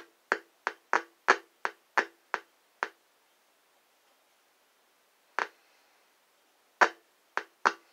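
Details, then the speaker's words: Heathkit IM-4180 FM deviation meter (1978–87 kit), receiving 446.000 MHz from a handheld: sharp irregular pops in bursts from speaker; owner suspects controls dirty from long storage, not cleaned — crackling control popping. "I didn't take it apart to spray any cleaner in it because it works it just seems to have that annoying pop popping noise"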